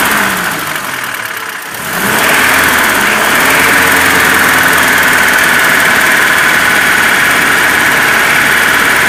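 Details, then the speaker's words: ZMZ 402 fully warm at idle, about 650-700 rpm, oil pressure about 2; dull metallic chime under diesel-like rumble, about four knocks per second, may fade or vanish, clearer from below and side; cause piston pin-to-connecting rod play in all 4 cylinders. "Этот вот перезвон, когда сбрасываешь газ, полностью на холостые уходит. Дизельный рокот какой-то. И на холостых он то есть, может стихнуть, может пропасть."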